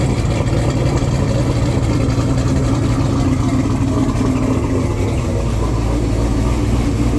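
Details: Twin-turbo Corvette Z06 V8 at operating temperature after fixing a melted fan connector and leaks: steady even idle under a loud constant rush of the radiator fan at full speed, no knocks or misses; healthy.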